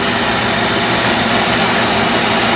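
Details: Early 1960s Bell and Howell 16mm tube projector, warmed up, running forward: steady even mechanical whir, no knocks or catches; runs fine despite a cracked worm gear, owner plans J-B Weld reinforcement.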